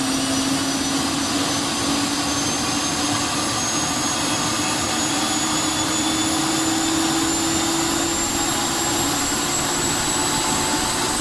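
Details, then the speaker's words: Honeywell GTCP 331-350 APU (Airbus A330/A340, 1400hp turboshaft) starting in test cell without generator: jet roar with rising bottle-like whistle from inlet guide vanes moving between about 74 and 77 degrees; normal, running near 41,700 rpm. "one of the peculiarities of this particular apu is that um you might have heard the kind of whistling noise when it started when the inlet guidelines that they described earlier on and move between the i think a 74 and 77 degree position they uh they whistle basically it's like blowing across the top of a bottle and you can hear that whistling for miles"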